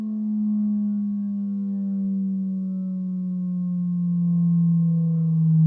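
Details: Medion 65-inch TV: steady humming tone slowly sliding lower with a ringing overtone, the housing buzzing along at certain frequencies; cabinet resonance squeak.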